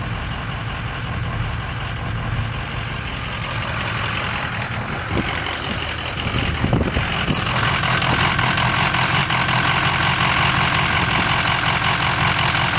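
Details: Ford 6.0 Powerstroke diesel at idle: steady idle with rough, uneven clatter and irregular beat underneath; misfire from a bad injector.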